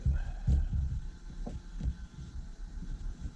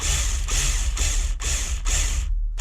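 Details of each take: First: Beautiful sound, buddy, for a 25. That's what they're supposed to sound like. Deep, raspy. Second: Nitro RC truck roto-start: repeated half-second bursts of free-spinning ratchety whirr, engine never turned over; owner suspects the one-way bearing, possibly a worn shaft, not confirmed; roto-start spinning without engaging.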